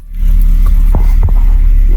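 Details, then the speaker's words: 2001 Mercedes SLK 170 with P202C-8 start error and no crank, after fitting a used ECU, DAS module and ignition lock: catches and settles into a smooth even run, no knocks or misses; fixed, running normally. "Boy! And she lives. Lovely. Sounds good as well."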